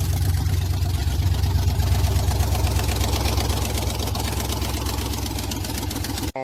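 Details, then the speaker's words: 1992 Silverado with a 5.3 V8 swap, headers held by only two bolts each and no gaskets: a rough idle with sharp, ragged puffing on every firing pulse. Exhaust is leaking at the headers. "Headers bolted up, just 2 bolts in each one. No gasket, so it's still gonna have some leaks, but it won't be as raggedy sounding as it was."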